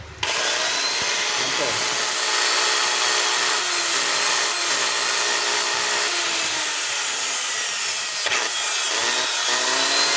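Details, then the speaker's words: Stanley STDH7213 hammer drill that the customer says cuts out intermittently: a high, raspy motor whine with a crackling, uneven edge and wavering pitch; heavy sparking at the brushes, traced to a loose terminal. "Aha, masiklab yung kanyang andar."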